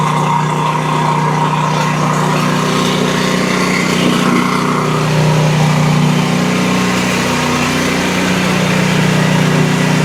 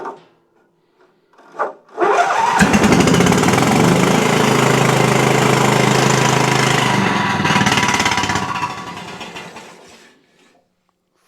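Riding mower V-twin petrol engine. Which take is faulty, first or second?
second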